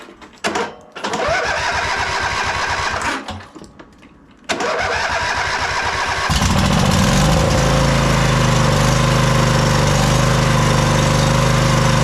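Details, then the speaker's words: MTD White Outdoor GT2550 garden tractor, 25hp Briggs & Stratton V-twin, started after heat-gun warming and battery; both cylinders working but runs loud and lumpy, beat wavering under throttle, from a poorly running carburetor. "I really hate these carburetors. They usually run terribly. You can see this one is not running it the best."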